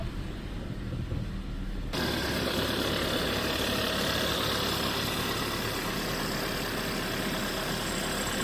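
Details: VW Tiguan 1.4 TSI after its no-start fault was fixed: a steady, even idle with a smooth low hum and no knocks, misses or hunting. Normal idle.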